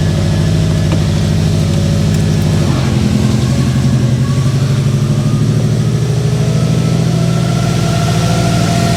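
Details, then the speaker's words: Freshly assembled Subaru WRX 2.5 turbo engine on its first start after oil priming. Deep, steady idle with a smooth, even pulse and a brief rev rise, no ticking or knocking; oil pressure light off, no leaks. "Oh man, it sounds great. Any leaks down below here? Nothing that I can see. Feels smooth, doesn't feel like it's missing at all."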